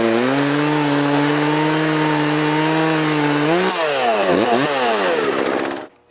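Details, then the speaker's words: Poulan 3818 38cc chainsaw, 18-inch bar, after adjusting the carburetor to cure bogging: crisp high buzz dips and recovers cutting logs without bogging; healthy under load. "I'm back in the shop with it it runs pretty good it's not going to cut like a steel or aavara but for poing this size it's about as best as I'll get it"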